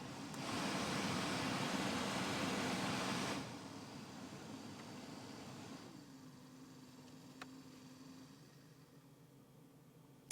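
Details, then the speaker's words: Citroen Xsara Mk2 with air con, engine running, after heater blower motor resistor replacement: loud airy fan rush dropping to a soft steady hum with faint whine. Blower running normally at each speed. "For some reason on my car I have to have the engine actually running for the fan to work, and you can just about hear it."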